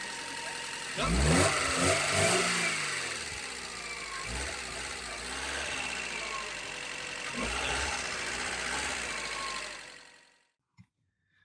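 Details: Alfa Romeo 145 Cloverleaf revived after 8 years sitting: engine picks up cleanly on a few blips, drops back to a steady, slightly busy idle, then cuts off; runs fine, just needs oil circulating.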